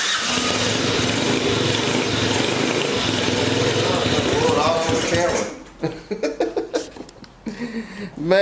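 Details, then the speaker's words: Yamaha Badger YFM80 ATV, first start after new valves, valve seals, piston, ring, cylinder and timing chain: a loud splutter, then irregular pops and coughs as it blows water out; engine full of water, suspected from the pipe or bottom end; rough running. "this thing is full of water i didn't think the pipe was that it's either coming out of the pipe for the bottom end"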